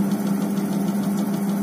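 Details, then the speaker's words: Polytron single-tub washing machine whose spinner would not turn, after replacing the failed 10 µF capacitor with a 12 µF one: steady low hum around 200 Hz with no scraping or grinding; the spin motor runs normally again. "nah jadi ilmu hari ini cukup model Rp35.000 mesin cuci bisa normal kembali"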